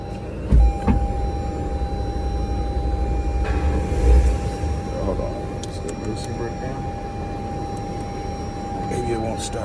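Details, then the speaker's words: 2020 Lexus RX 350 picked up at auction, supposed to be running, with two flat tires, jump-started on a jump box: a thin steady high squeal over a low engine rumble when given gas, origin unknown. "the gas you hear how squeaking and all that should stay in charge for a second"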